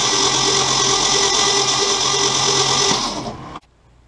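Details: 1966 Ford Mustang 200 cid inline six, sluggish, spark plugs removed, 12-volt system: fast even whirring crank with light chuff, no compression beats, then stops; engine spins freely, weak starter suspected as voltage drops.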